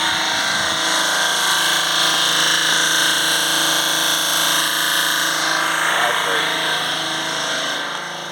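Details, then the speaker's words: Peugeot Expert 1.6 diesel with no power, limp-home mode and fan speed faults. Cooling fan commanded to high speed by scan tool gives a harsh crunching rasp over its hum, like ice in a blender. Fan blades are rubbing on damaged parts behind the grille; low speed not working. "Doesn't sound right, does it? It sounds like when you got ice or something and you're breaking it in a blender. It's It's not right."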